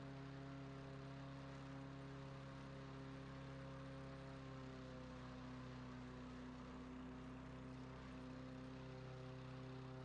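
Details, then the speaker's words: Free dump-picked self-propelled overhead-valve walk-behind mower, not running and sitting outside, now running after carburetor cleaning and reinstall, old filter, fresh oil and gas, governor at full throttle: steady even drone, no surging or misses; normal running. "well this is going into my trash or treasure series and it's a treasure this was a dump pick mower wasn't running"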